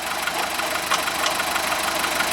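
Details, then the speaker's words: VW Golf 1.4 petrol, engine just started before timing belt job: steady idle with faint, irregular tick every second or so, the water pump noise. "Now, we've just started the engine cuz hopefully you can hear the noise. The noise of the water pump."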